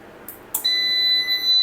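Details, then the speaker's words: Fronus PV5200 4 kW solar inverter after repair of burnt MOSFETs, IGBTs and PCB, on 24 V bench supply, one fan stopped with sensor unplugged; sharp steady high electronic beep as the system shuts down. "The system just shut down."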